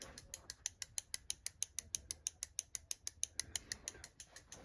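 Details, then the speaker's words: Husqvarna 562XP chainsaw, 67 hours, warm, won't idle and hard to start, during diagnostic auto test: crisp evenly spaced ticking of the fuel solenoid valve; fuel solenoid valve clicking normally. "wants to know if I can hear the clicking sound and yes I can"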